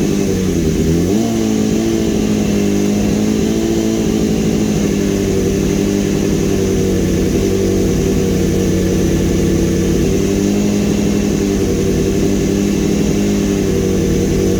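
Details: 2015 BMW S1000RR with an engine swapped from a crashed bike, restarted after topping up oil and coolant. It catches, blips up, and settles into a steady, even hum with no knocks or misses: normal running.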